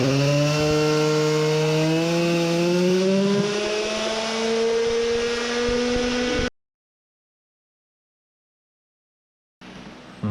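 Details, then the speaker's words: Tuned Samurai 40cc two-stroke on a dyno after a head modification (deeper combustion chamber, lower compression); screaming revs to about 14,700 rpm held without misfire, making 4.23 hp. High-rev running is normal. "sounded like it got some new powers most likely from the head modification horrifying, almost 15000rpm max revs"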